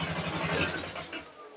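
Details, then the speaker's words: 2009 Polaris Sportsman 500 after carburetor rebuild with All Balls kit and ultrasonic cleaning for poor performance and idle: even, steady low putter at idle, no misses or knocks, possibly slightly high; normal idle. "well I got the polar up and running idling good that um might need to turn the idle down just a little but for now it's okay that it sounds good"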